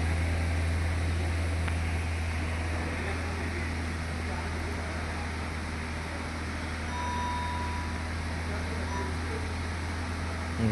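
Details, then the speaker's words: Toyota Etios Liva petrol engine idling steadily with no stumbles after all four spark plugs were replaced; earlier all-cylinder misfire counts and check engine light, now scan shows zero misfires. "देख सकते हैं एक भी miss fire नहीं बता रहा। तो actually इसका स्पर्क प्लग का प्रॉब्लम"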